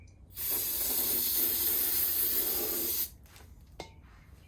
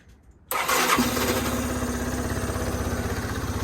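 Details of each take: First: 2014 Yamaha Zuma 125cc scooter stored since 2017, fresh fuel plus starter fluid: brief ragged catch for a few seconds that dies out, then another short sputtering try. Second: 2014 Yamaha Zuma 125 stored since 2017, first fire after the fuel pump was plumbed and fresh fuel added. It catches instantly after a short crank and settles into a quick, steady putter with no misses.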